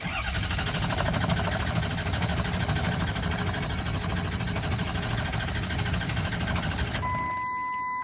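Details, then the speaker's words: 6.0 Powerstroke diesel truck, hot after a drive, cranks steadily and rapidly for about seven seconds on the key with no firing, then a chime; cranks but won't start when hot. "I just got done driving it for a while and it won't start hot with the key"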